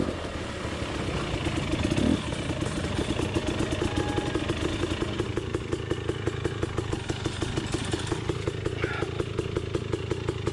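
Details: Beta motorcycle engine running with a fast, uneven clatter of nearly three beats a second and an odd warbling tone on top, described as a drowning dolphin; abnormal, cause unclear.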